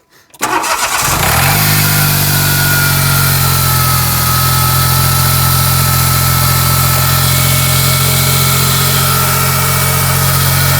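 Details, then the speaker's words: 2004 Smart ForTwo 450, off the road about six months, after its seized alternator and snapped belt were repaired. Engine cranks briefly, catches cleanly and settles into a steady, even idle with no squeals, and the alternator light goes out; normal start and idle. "That sounds better. Cool."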